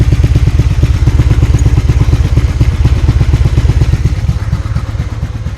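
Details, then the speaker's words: 1996 Honda Magna 750, long stored in a barn, idling after carburetor and throttle screw adjustment with carb still leaking: uneven lumpy exhaust beat and pops, misfiring on an unknown cylinder, owner thinks it needs running through. "I'm misfiring on one of the cylinders. I don't know which one, but it sounds like it needs to be just run through a little bit. You can hear it popping."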